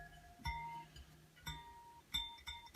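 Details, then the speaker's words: Bicycle wheel being spoked, after tightening every nipple a quarter turn: plucked spokes give sharp pings near 900 Hz, one ringing noticeably higher than its neighbours; that spoke is over-tightened, with no threads showing, and gets loosened. "one seems a little too tight my turn pulled out when I was a little loosen that one off of it"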